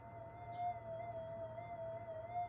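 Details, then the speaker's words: Modified Minelab GPX5000 metal detector with an LT1028 op-amp channel at gain 40, picking up 50 Hz mains that clashes with the time base and makes it jitter: a steady warbling mid tone over faint low hum, mains hum interference. "That's 50 hertz. And as it cycles through, it's clashing with the time base, and it looks like it's jittering, which it actually is. It really is jittering in real life, and the detector's responding to that by, if you can hear it,"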